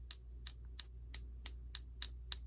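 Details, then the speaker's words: Suspected counterfeit silver coin tapped eight times: each tap gives a brief dull click that dies at once with no ringing ping, like a rock, judged fake. "these things make that sounds like a rock doesn't it that sounds awful and i'm pinging the snot out of it and i can't get anything out of it that's terrible that has no pain whatsoever"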